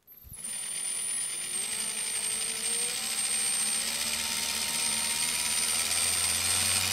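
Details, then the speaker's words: Milwaukee 0435-1 3/8" 12 V cordless drill, circa 1995, after the broken, jumpy trigger switch was replaced, on an M14 battery via adaptor: whine climbs smoothly from low to high speed without jumping. Normal variable speed control. "It's a nice control on that. So, I mean, these old tools, and this was a thing that way back when with these Milwaukee tools, the variable speed was always better on Milwaukee tools than the other tools,"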